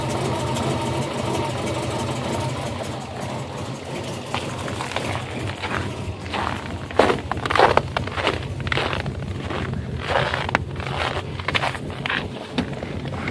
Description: Here is a video of my 2002 WRX with the rough idle/misfire I have been trying to figure out.